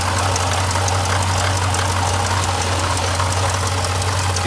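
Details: Jeep Grand Cherokee SRT (WK2) V8 idling as the water pump fails: marbles/ball-bearing rattle, pulley visibly shaking back and forth, fine coolant mist spraying and leaking; failing water pump bearing. Owner notes temperature spiking over 221 and coolant smell as warning signs.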